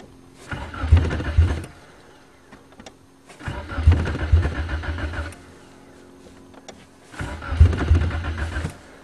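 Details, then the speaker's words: 1994 Nissan Sentra 1.6, cold start attempt: three short bursts of steady, fast cranking, each going silent without catching; cranks but no start, fuel pump not heard priming, cause suspected not confirmed. "i don't hear the fuel pump come on starts like the talon"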